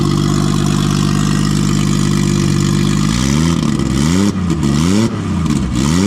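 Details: Nissan RB20 inline-six after fixing no compression in cylinder 5 caused by a faulty lifter holding the intake valve low; loud open pipe idles evenly three seconds, then blips up and down cleanly several times; all six cylinders firing.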